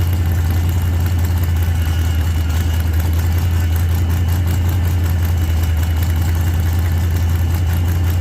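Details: 1948 Chevy Fleetline small-block V8 (4-speed), just started after sitting a while and a motor repair, slightly rich from heavy throttle pumping: deep, even rumble holding a steady idle with no misses or knocks. Running fine.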